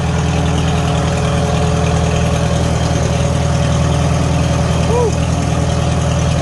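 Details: 1949 Farmall H gas four-cylinder after new spark plugs: low, even, steady idle with no rattle or stumble and no top-end tapping; now firing cleanly on all cylinders.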